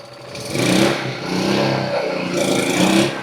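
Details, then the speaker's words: Used 2000 W generator bought cheap, first start after fitting a new carburettor, on full choke: small engine surges up and down in rpm, then catches and runs on its own; normal running. "Oh yeah! It works! And there you have it. Totally worth it."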